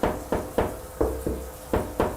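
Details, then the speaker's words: Bathroom shower tile tapped by hand: several taps give a hollow ringing note instead of a dead thud; tile coming loose where grout is deteriorated and missing. "title is actually coming loose so there's gonna be known about Lu style and deteriorated missing grout in their report because that's only gonna get worse"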